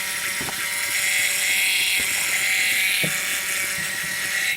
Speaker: Now, as you might remember, the next thing that I had complained about was that the fuel pump under the car was making very loud squealing noises.